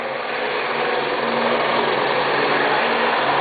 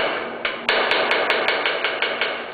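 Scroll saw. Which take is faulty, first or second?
second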